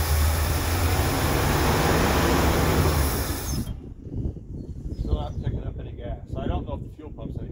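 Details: 1968 Ford Galaxie XL convertible, 390 4V with C6, first start attempt after sitting, with gas poured down the carburetor; cranks steadily for several seconds without firing, then stops. Owner suspects old fuel.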